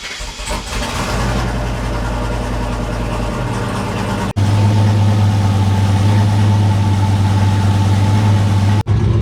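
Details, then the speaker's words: Single-turbo Chevrolet Silverado on fresh oil, started to flush and cycle it before draining: cranks, catches quickly and settles into a steady, even, deep idle with no knocks; sounds good. "just let that item for like 5 10 minutes truck sounds good though"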